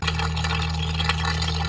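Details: LG washer makes a rough, scratchy grinding over a low motor hum with light rattles; noise from the drain pump under the washer with a broken impeller, fixed by replacing the pump.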